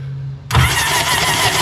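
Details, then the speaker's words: 2005 Sea-Doo GTX cranked with spark plugs removed: fast, even starter spin with no compression pulses and a loud hissing rush as water blows out of the cylinders; clearing a hydrolocked engine. "blown her up here okay so now supposed to turn it over here water is going to come off oh God oh my"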